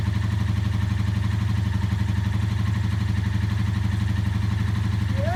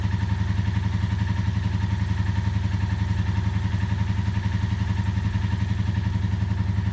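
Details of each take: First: 1984 Honda V65 Magna VF1100C barn-find V4, first start after clutch bleed and flushing junk from the secondary fuel tank line, ticking over at idle: even, steady low thrum with regular clean firing pulses, no knocks; sounds nice. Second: Ticking at idle on a barn-find 1984 Honda V65 Magna VF1100C V4, first start after revival and fuel line flush: steady idle with light regular clicking about four a second; owner unsure if valvetrain clacky and suspects not all cylinders running; no smoke.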